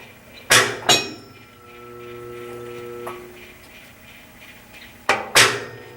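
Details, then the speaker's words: Washer on warm/cold wash, timer running: two pairs of sharp metallic clunks with faint motor hum, drum doesn't spin; owner suspects broken transmission, unconfirmed. "No, sounds like the tranny broke."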